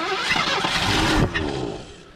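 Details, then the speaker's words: 1984 Ford Thunderbird 5.0 V8 that sat for years, with fuel poured down the intake. It catches with a rough sputter, briefly speeds up, then fades, and later backfires; fuel delivery fault, starts only on primer. "we're just gonna drop a little bit of fuel down in there and uh just see if she'll bark i think she's got fire she sped up"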